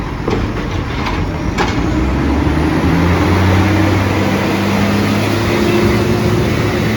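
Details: SJ garbage truck SL01400, heavy diesel roaring loudly and rising in pitch with a raw, unmuffled edge from a massive exhaust leak.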